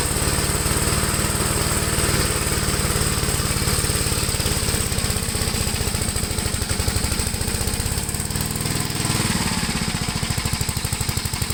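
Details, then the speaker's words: 1973 Gravely C8 single-cylinder tractor mowing with PTO-driven deck in high gear, after points regapped and carb adjusted: rapid chugging sags and slows, bogging under mower load; it overheated and failed the mowing test, with governor suspected. "not happy at all with this it's not good let me see what's going out this governor business okay so this tractor is not a complete failure at least we got it to start up but it definitely failed the mowing test"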